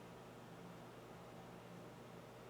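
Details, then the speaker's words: Breville BOV800XL Smart Oven preheating with convection on; only a faint, steady low hum barely above room noise, quieter than a fridge: convection fan running normally, non-issue. "And you can probably hear just a little bit there, but like I said, it's not that noise at all, and it's really a non-issue for this oven."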